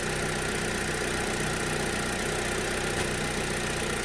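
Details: 2011 Chevy Aveo 1.6 Ecotec four-cylinder, P0300 misfire caused by a defective new coil pack on cylinder 2, idling after fitting another new coil: a steady, even idle hum with no stumbles or skips. A separate cold-start fuel problem remains.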